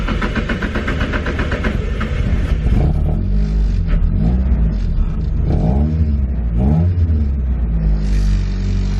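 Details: Nissan 240SX S13 with a turbo SR20DET and a newly installed 3-inch EMUSA eBay catback, now fully bolted down: revs blip up and drop back to a steady idle with a loud, deep muffler tone; no puffing or ticking leak, so it sounds healthy.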